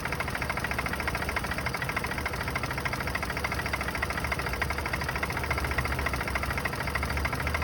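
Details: Turbo Honda B-series engine bought off Facebook Marketplace, cold idle: loose, uneven knock about three per second with a hollow rattle; owner suspects piston slap, not confirmed.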